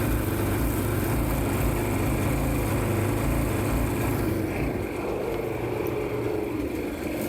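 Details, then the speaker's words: Yamaha jet ski two-stroke engine in a jon boat jet conversion, at first start with the exhaust and extended temporary jet ski throttle linkage just hooked up; the engine starts right up but throttle issues leave it loud and raspy, held flat out at full throttle with no drop toward idle. "All right. A couple issues with the throttle, but she starts right up. It went full throttle."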